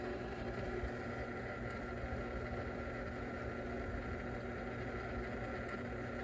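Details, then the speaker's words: Goodman package unit, bottom heat-strip contactor: jumping the heat on gives a steady loud electrical buzz and hum under the blower noise, with smoke; the bottom contactor's coil is burnt. Transformer also loud. "oh you probably can't see the smoke but yeah that contactor look at that that coil is burnt on that contactor"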